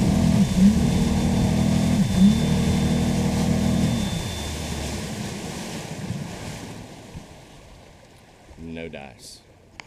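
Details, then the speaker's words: Outboard on a 2000 Javelin 19 Renegade bass boat at full throttle: drone holds briefly then sags and fades instead of pulling, struggling to get on plane; motor judged not up to par, cause unconfirmed. "So we pulled up on into that. That's not good."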